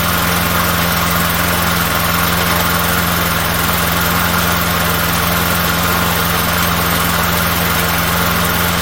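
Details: Small single-cylinder engine after being re-timed by correcting a misinstalled gear; runs at a steady even speed with constant hum, no knocks or misses, smoking somewhat but healthy.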